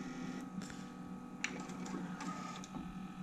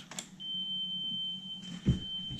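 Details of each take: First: 1993 Sony TC-K611S three-head cassette deck: capstan motor spins noisily with a steady whirring hum and faint whine, but the capstan roller does not turn, because the 30-year-old drive belts have turned to sticky goop; the belts need replacing. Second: 1993 Sony TC-K611S three-head cassette deck after new drive belts, playing a 3 kHz test tape for capstan speed adjustment: a clean, steady tone with no flutter, measured at 3.09 kHz on an oscilloscope.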